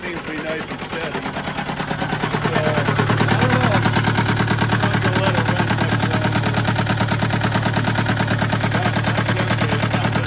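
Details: Case 188 four-cylinder diesel tractor before teardown: a heavy, uneven chug of about two lumpy pulses a second, missing badly and smoking. Number one cylinder appears not to fire at all; the temperature gauge stayed pegged at 130 degrees.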